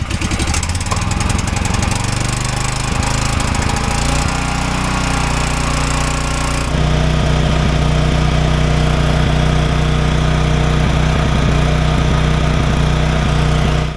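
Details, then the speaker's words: Champion dual-fuel generator running rough with uneven, lumpy, hunting and stumbling beat after moving from 7,500 ft to 5,500 ft on a high-altitude carburetor jet; planned fix is refitting the factory standard-elevation jet. "I'm going to put the it's kind of running rough you probably noticed that in the earlier video I'm going to put the old factory jet back in for standard elevation"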